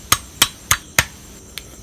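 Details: Yamaha RXZ crankshaft removed during engine disassembly, held in hand and struck: four crisp bright ringing taps with clean sustain and no dull buzz, indicating a sound crank.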